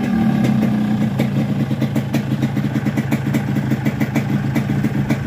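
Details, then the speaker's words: Yamaha RX-King two-stroke with rebored block, new connecting rod and 125Z head, after inserting rubber dampers between the cylinder fins: quick, evenly spaced popping at idle with no metallic fin ringing; normal idle. "jadi bunyi itu akan halus lagi ya di sini setelah kita Pasang karet kop kita dengar hasilnya suara mesin itu bunyinya akan berbeda"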